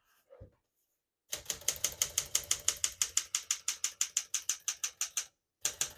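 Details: Serviced 1966 Smith-Corona Sterling portable typewriter typing normally: crisp, even keystrokes about three per second with a brief pause, no drag or skipping; healthy, freely working mechanism.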